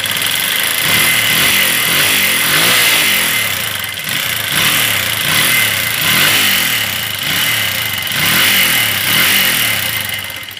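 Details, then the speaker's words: Flood-damaged Minerva MX 150 (old CBR model) motorcycle engine, rebuilt six months earlier: very rough running with ticking, clacking and whining; rust marks on cylinder liner at ring position, suspected liner not honed at previous shop. "suara mesinnya terdengar teman-teman ada suara tek tek tek tek tek ada suara cekrek ada suara seperti sing sing sing nya Nah segala macam suara ada"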